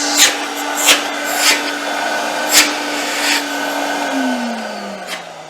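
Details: Myteelite II 8070 carpet extractor after repair: steady high-pitched whine at even tone with no rattle, winding down smoothly at switch-off; repaired motor runs healthy.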